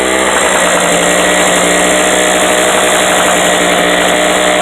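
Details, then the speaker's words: Harbor Freight 800/900 W portable generator running at no load: steady high buzz with a faint metallic rattle that comes and goes, an exhaust ping, not piston slap or conrod bearing play. "u get them on sale, but um that rattle you hear is an exhaust ping. A lot of guys think it's uh play in the uh in the bearings on the top end or bottom end of the conrod or piston slap."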